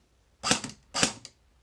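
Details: Cyma M14 airsoft gearbox, test shots after adjusting motor height for proper alignment: two crisp single shots, each a clean snap with short mechanical tail, no grinding whine; normal gearbox cycle.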